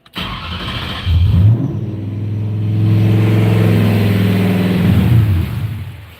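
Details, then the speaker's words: Rose with 4.6 Savage tune, at 195° operating temperature, idle being set down toward 700 rpm: engine catches, revs, then sags and dies; won't hold idle, likely throttle plate closed too far. "Okay, it appears that we've opened the throttle plate or closed it too much, so we need to go and set the throttle plate lower."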